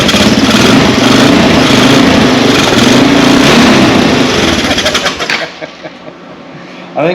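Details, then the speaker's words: Honda TRX 200 single-cylinder ATV, about 40 years old, reportedly parked after running low on oil: with idle screw turned down two turns and no throttle, it catches and races at a high, fairly steady buzz, then dies; high idle, idle setting suspected. "probably somebody's messed around with an idle so let's turn the idle down two turns just to be careful see what [Music] happens I hadn't even given any gas"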